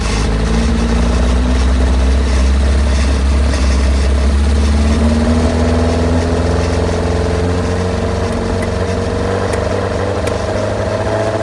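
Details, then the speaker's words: Hillman Imp 1200 engine on a dyno: idles evenly, then coughs and pops back through the carburettors when the throttle is opened very gently on the slow-running circuit without acceleration jets, showing a lean weak spot. "You could just hear the carburetors popping back as I just opened the throttle real gentle."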